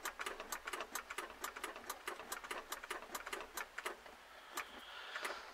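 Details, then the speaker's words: German E303 hay mower, starting after drive belt replacement: rapid dry clicks about four a second, starter engages but does not turn the engine; it sometimes won't start and has to be started by direct wiring. "Так, заводим. Газу дали. Вот он щелкает."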